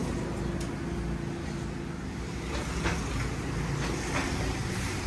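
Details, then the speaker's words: Suzuki Every engine after overhaul; steady low engine hum with even rhythm, no knocks or rattles, normal idle, engine declared fully fixed. "गाड़ी का जो है ना engine बिल्कुल final हो गया, यस हो गया।"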